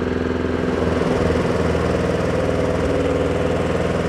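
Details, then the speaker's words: Honda Harmony II HRS216 lawnmower after a complete service and carburetor work on a badly neglected unit: even, steady putter at about 3.5 beats per second with no hunting, slightly weak-sounding but running normally on first pull. "Âm thanh hơi yếu nhưng kéo đầu tiên không tệ."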